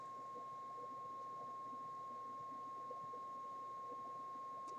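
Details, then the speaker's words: 1968 Ford Mustang Philco AM/FM radio D3AA on the bench, tested for fading with a signal generator; output held constant about 15 minutes. Clean, steady single tone near 1 kHz, no wavering or crackle; sounds clear, no fault found. "but it sure sounds nice and clear the tone is you know I can hear it here with my ears it sounds just fine"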